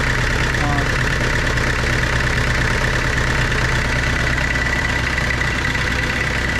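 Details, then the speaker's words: Tata Sierra/Estate indirect-injection turbo diesel, idling after a glow-plug cold start following body restoration: a loud, even clatter settling to a steady idle at about three beats a second, running normally. "അങ്ങനെ finally നമ്മൾ വണ്ടി start ചെയ്തു."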